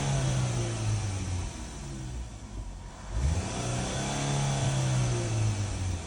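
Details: 2013 Chevy Equinox, live data showing misfire counts on cylinders 2 and 4: revs rise and fall with a ragged uneven exhaust beat that stumbles irregularly; engine misfire, cause not confirmed.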